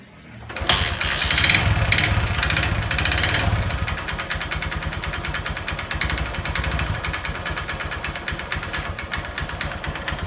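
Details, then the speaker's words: Honda Verza emitting white smoke, piston found scored: catches into rough idle with loose uneven clatter about four knocks a second; piston slap, con rod also suspected. "demikian untuk suaranya untuk motor Honda Verza ini kemungkinan piston kena ataupun stang piston ini kedua kemungkinan ya karena ada suara kletek-kletek dan suara kemruyuk tapi cuma sedikit"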